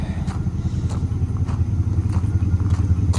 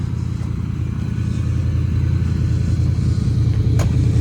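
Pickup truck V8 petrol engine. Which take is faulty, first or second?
first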